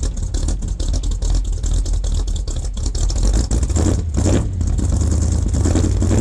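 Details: 1978 K25 with freshly rebuilt engine, after its first cold start at about -8°C: low, steady idle rumble with an even beat and no knocks or stumbles while warming up; sounds healthy.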